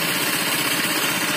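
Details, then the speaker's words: Honda Vario FI 125 scooter at idle: a harsh, clattery rattle of piston slap from a worn piston, rings and block, not from the CVT; radiator coolant also spurts upward. "kenapa cepet ini suara mesin kasar Ternyata bukan dari bagiku penyakitnya bukan dari sini bukan dari tempat CVC nah penyakitnya berasal dari tengah sini di bagian piston ring suara piston yang ngeflek"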